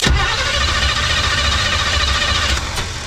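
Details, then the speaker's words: 1980s Chevy C10 V8 truck revived after 20+ years sitting, cranking on its old Quadrajet carburetor: the starter churns with sharp pops cracking over it as it tries to catch; backfire while cranking, and the carburetor is to be replaced. "A little bit of a backfire."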